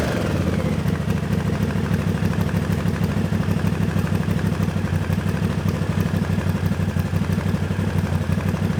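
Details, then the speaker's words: Honda CX500/650 V-twin after valves, timing and float adjustment on non-adjustable plastic floats that were flooding; steady slightly lumpy idle, revs now snap back instead of hanging, no carb leaks after an hour. "float level's probably nice now in the cabinets because it's it's not holding on when you sort of wrapped it and it would sort of hold on to the revs it's snapping off really nicely"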